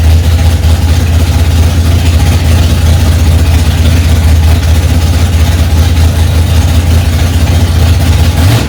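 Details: 1965 Ford Mustang, freshly rebuilt 289 small-block V8 warming up from cold after its first start, mixture screws two turns out: deep, loud, steady rumble at a raised idle, even firing without misses or knocks; healthy.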